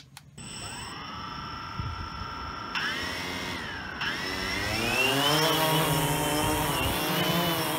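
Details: DJI Phantom 2 quadcopter test flight after a burned-out ESC was replaced. The motors spin up to a high buzzing whine, the pitch wavering as they fight strong gusty wind. Normal motor operation.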